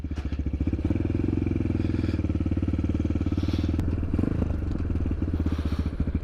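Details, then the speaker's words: Chinese small single-cylinder motorcycle ridden in the rain with the DB killer (exhaust baffle) removed: quick, even, deep open-sounding exhaust thump over rain hiss; much better sound without the baffle, engine healthy. "Bon, le bruit ça va quand même beaucoup mieux sans le DB Killer."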